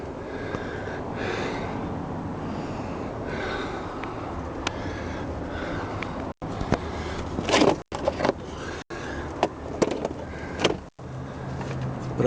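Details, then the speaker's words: Ford Focus 3, knock present from the first kilometres, recorded under the car: irregular hollow clunks over steady road rumble, loose and uneven, not timed to the engine; steering rack knocking. "вот он злополучная ролевая рейка [музыка] вот так она грохочет"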